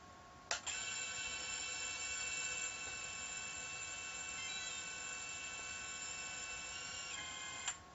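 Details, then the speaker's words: Thin, steady, weak high-pitched buzzer tone for about seven seconds from a QuadLugs HRail quad, the failsafe/lost-model alarm after the link is cut. The buzzer is faulty and quieter than it should be. "it went off if you notice you might hear it it's real light my buzzer is kind of messed up you can hear the buzzer going off"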